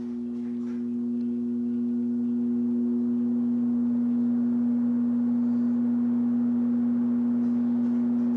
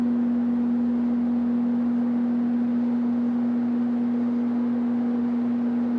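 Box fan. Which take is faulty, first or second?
first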